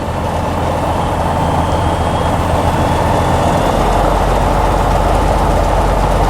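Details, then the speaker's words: Tecnam P2002 single-engine piston aircraft just after start, choke off, held at 1,100 RPM while warming up before taxi: steady even drone with no misses or knocks; engine running smoothly, normal warm-up idle. "and the next part is before taxi so the engine is warming up we can select the avionics"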